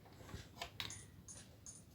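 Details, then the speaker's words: LG 20-inch colour TV that won't turn on: faint, sharp high "chuk chuk" ticks repeat about every 0.4 seconds from the power supply at switch-on while the set stays dark. "यह देखिए दोस्तों, यह आपको सुनाई दे रहा होगा। यह चुक चुक चुक चुक चुकचुक आवाज इसमें आ रही है।"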